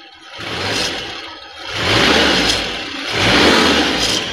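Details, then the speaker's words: 1994 Daihatsu Zebra 1.3 (1300 cc), warm: three light throttle blips, revs rise and fall smoothly with no knock, miss or rattle; no sign of dry piston, sounds normal. "kalau mesin saya rasa sih suara normal-normal aja nggak ada yang ciri-ciri ya saya kering seher kena"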